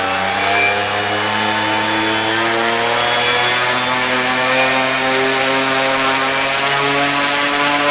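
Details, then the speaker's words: Banana Hobby F4U Corsair RC plane, 1200mm wingspan, first motor test after mounting propeller: steady high electric motor whine at constant speed; propeller visibly wobbling, out of balance. "you can actually see that if you look closely you can see that it's wobbling"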